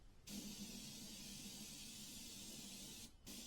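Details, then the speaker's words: Iwata HP-CR airbrush on an unknown compressor, spraying blue paint: steady airy hiss with almost no paint, only a very light mist. Dried blue paint was found around the needle; owner suspects paint drying at the tip and needle setting. "I just wonder if it's getting a little paint down there and then this air is going across the paint but it's not flowing out for some reason so then the paint dries"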